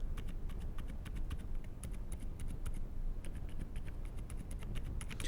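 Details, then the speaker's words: AKKO x Dark Project 5075 mechanical keyboard, light version with Silent switches: quiet uneven typing, some keys ring faintly, others thud dully; keystroke sound inconsistent key to key, cause not identified. "То есть у каких-то клавиш какой-то звонкий призвук, какие-то звучат глухо."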